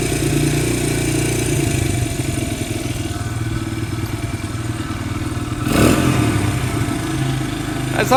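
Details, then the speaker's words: Vintage barn-find dirt bike, small single-cylinder, just started: catches and settles into a quick, steady popping idle that sits a bit higher than it should; high idle speed. "Sounds like that idle's a little bit high."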